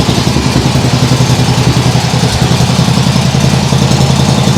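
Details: Nibbi G619 walk-behind tractor engine after carburettor cleaning to cure hunting; throttle in lowest position, low even chuffing idle, no hunting or surging, like a sewing machine.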